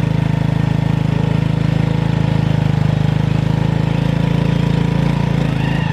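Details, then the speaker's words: Honda Revo FI with no power that can't climb a plank-height ramp in first gear: revving hard gives a steady droning whine from the engine without pulling. "Pakai gigi satu nanjak segitu yo. Itu enggak kuat saya gas. Oh, malah ketika saya gas kencang di situ malah makin bunyi di mesin ngu kayak gitu."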